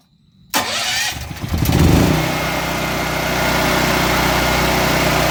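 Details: New Firman H07553 9400W dual-fuel generator, first start on gasoline after the oil fill, using push-button electric start: fires within a second and settles into a steady, even drone with no misses or knocks; normal start and idle.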